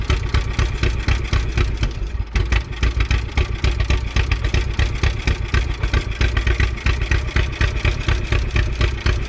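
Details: 1951 Willys CJ3A Jeep, about 52 years off the road, fuel line gravity-primed and given fuel straight from a bottle: old four-cylinder idling with a steady, even chuffing pulse about four times a second. Normal idle.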